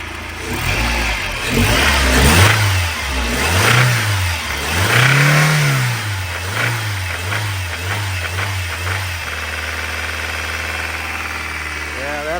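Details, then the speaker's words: Long-dormant truck brought back to life: engine revs up and down unevenly, hunting, before settling to a steady idle; oil pressure present but knocked when warm previously, no clear knock audible, cause unconfirmed. "but when she was warm she definitely was knocking"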